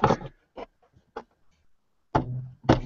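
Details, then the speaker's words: Big Box 3D printer (UK edition) during assembly, drive belt plucked to set tension: short twangs, last ones ringing at higher firmer pitch than the other side; belt sounds tighter, maybe a little too tight. "That sounds tighter. Yeah, the higher pitch. That one's maybe a little too tight."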